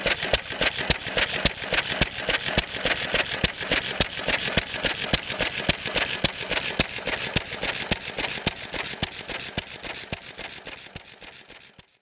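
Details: Antique flywheel engine fitted with a homemade glasspack muffler for a mellower tone. Slow, even puffs near two per second, fading as the engine coasts down, running healthy.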